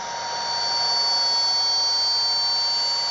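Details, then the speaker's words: AC motor driven by an ABB ACS150 inverter on a three-phase supply, potentiometer turned down to minimum frequency in manual mode: steady high whine over a soft hiss with no surges, motor turning slowly and evenly. "Αν περιστρέψω το ποτησιόμετρο στο Min, εδώ βλέπουμε το γυρίσω λίγο, γυρνάει"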